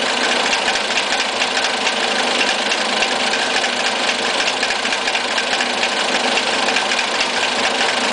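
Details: Siena 1.6 petrol engine with a rough idle: light, uneven ticking over a hissy, slightly unsteady running note, heard above the engine bay at lower level and louder under the engine bay.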